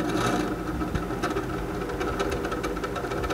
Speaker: ses yapıyor ise dışarıda motorun yanında bulunan bu fan arızalıdır